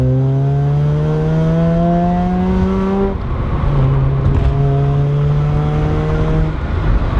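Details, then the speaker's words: Mazda RX-7 naturally aspirated rotary, exhaust after a cheap exhaust leak fix: raspy note pulling cleanly, pitch climbing, dropping at a shift near three seconds, then climbing again; normal, healthy exhaust. "and you know it's not the best sounding car it's a naturally aspirated rotary so they tend to be kind of raspy and not the most amazing sound"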